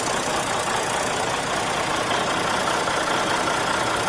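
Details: Truck just collected from Freightliner after repairs including head gasket, hood open: even, steady diesel clatter at idle with no misses, knocks or surging; idling normally.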